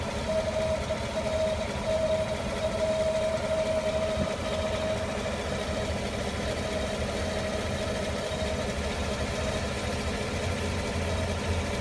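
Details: 2015 GM 5.3L V8 truck, 8k miles, idling just home after driving, fans, AC and accessories off, belts fine; steady idle with thin airy whoosh coming and going sporadically, intermittent vacuum-like noise, source unknown.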